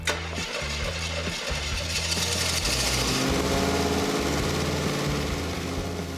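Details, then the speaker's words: First ignition of a custom project's engine. A sharp crack, then it catches and fires raggedly and unevenly as it settles. Owner calls it just a simple backfire; rough first start that then runs. "It's a good thing the inspectors aren't here because I could see the alarm bells going off in a big way. But I know that's just a simple backfire."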